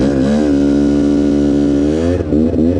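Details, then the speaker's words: Quad ridden cold before warming up: engine note climbs and falls with throttle, soft sucking whoosh from the intake side ("wim wim") on acceleration, fan audible after the cooling was fitted; sounds normal. "Ah là déjà on entend le ventilateur, ça fait aspirateur de ce côté, ça fait wim wim quand j'accélère, tu vois."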